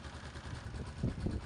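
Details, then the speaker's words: Yamaha Exciter 135 motorcycle after valve adjustment: engine idles low and even with light throttle blips, valve ticking gone, only light clutch rattle remains. "Giờ chỉ còn lại tiếng kêu của bộ ly hợp. Tiếng ồn khó chịu khi tăng ga trước đây đã hoàn toàn biến mất."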